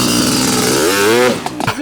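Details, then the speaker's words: Honda CR500 two-stroke after many parts replaced to cure its starting problem: crisp buzz rises smoothly as the throttle opens, then drops away cleanly, revving freely without stumbling; starting problem seemingly fixed, idle still unproven. "so the CR500 seems to be fixed with its starting problem I still have major trust issues with it and we want to fix it cosmetically but it needs to prove itself first"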